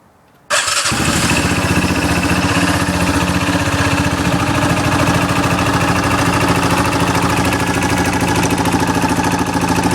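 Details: 2008 Yamaha Rhino single-cylinder engine running with the clutch removed from the crank: a busy, loose metallic knocking rattle like maracas riding over its beat; cause unknown.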